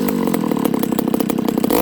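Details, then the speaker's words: Ported Homelite 922 chainsaw after clutch and fuel line fix and cooler heat-range plug, restart with idle up, no choke: quick screaming revs with a sharp thin edge, little top-end burble; high jet deliberately set slightly lean, slight loss of pull. "Now I think this saw right now, friends, is a little lean on the high jet. I did that on purpose today."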